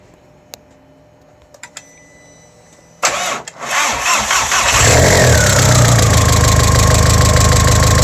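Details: Freshly rebuilt engine during break-in, restarted after a hot run and oil change to seat new piston rings: clicks, cranks and fires, settling into a steady even idle with faint whistle, no knocks or ticks; healthy.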